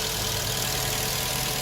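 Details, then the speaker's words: Black Chrysler 200 with no-crank no-start and a new battery, after a good ground is connected around bad battery connections: engine starts and holds a steady, even idle with no knocks, misses or stumbles; normal idle. "see if we start there we go we're now started and running"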